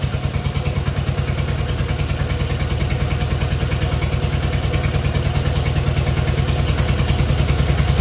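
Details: Long-stored Innocenti S Spyder fed from a jug because the tank and line are clogged, started on choke with starter fluid: uneven, lumpy idle with a wandering beat and a loose clatter on top; it runs, but not cleanly.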